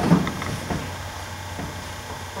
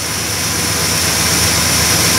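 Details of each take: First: 1969 Plymouth Fury 383 V8 first start after a Mopar points-to-electronic ignition conversion, with timing possibly off; it cranks, catches, then a fast even ticking clatter, which the owner suspects came from the distributor-driven oil pump priming before oil pressure returned. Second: 1969 Plymouth Fury 383 V8 idling after a points-to-ignition-module conversion removing the ballast resistor; the module, not yet on a heat sink, is a little warm. Loud steady idle with strong hiss, smooth, no misses or knocks.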